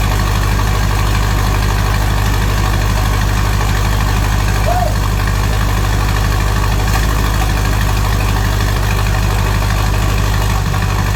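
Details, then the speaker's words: Ford 6.0 Powerstroke diesel, first start after S369SXE non-VGT turbo install, stock fuel, intake off: even steady idle with smooth low drone, no knocks, ticks or misses, quieter than expected; minor driver-side manifold leak; normal idle. "she's running and she's running good look at that boys so much quieter than I expected"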